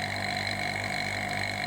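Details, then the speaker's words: Refrigerator repair vacuum process: after running a while, pump sound is lower in decibels and less harsh than at the start, a steady smooth low drone with no gurgle, indicating deep vacuum reached. "Nah, suaranya berbeda. suaranya sudah rendah, sudah tidak begitu kasar. Rendah itu maksudnya rendah desibelitasnya ya, kebisingannya ya."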